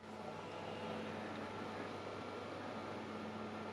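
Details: Xbox 360 console after dust cleaning and reassembly, being powered on to test: quiet, steady airy whir with faint constant hum, no rattle or grinding; console fan runs normally.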